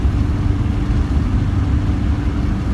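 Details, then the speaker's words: Mercedes Sprinter diesel in limp mode, getting worse: deep, steady low drone with no rise in pitch, barely pulling; owner suspects a blocked EGR, not confirmed. "If you think it's got this real deep sound, like ooh, you know, like it's barely going, instead of like ooh, you know, then you could tell it's this deep sound, something's blocked."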